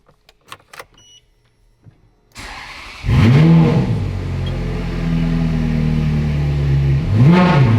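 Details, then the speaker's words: Ferrari F430 (ex-rental) with home-rebuilt engine and gearbox: starter whirs, engine catches to a steady idle, then two clean blips rise and fall freely; normal revving. Coolant later overheats, suspected airlock. "That's better. Yeah. Sounds nice."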